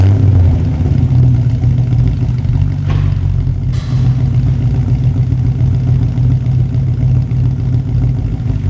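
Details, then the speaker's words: 1980 Rover 3500 SD1, Buick-designed aluminium V8 freshly fully rebuilt with engine and transmission reinstalled, restart and light revs: deep steady V8 rumble swelling and settling evenly, no knocking or clatter; engine healthy, normal revving. "Bon, voilà. Elle démarre, elle roule, elle est prête à prendre la route, mais il neige !"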